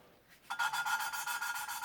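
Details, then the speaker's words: 1993 Range Rover cylinder head, used valve being hand-lapped with grinding paste (coarse then fine) during head gasket repair; gritty back-and-forth rasp about seven strokes a second that gets quieter as the valve beds into its seat, signalling it's done. "you hear it get quieter. As it gets quieter, you know it's done its job."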